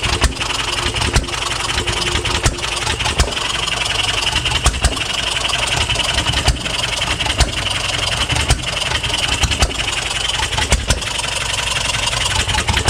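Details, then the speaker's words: 1HP Fairbanks Morse Eclipse hit-and-miss farm engine, running for the first time in decades and getting dialed in: crisp firing pops roughly once a second with coasting gaps, an even beat; normal hit-and-miss running. "I had to fire it up again. So nice. It's actually getting it dialed in."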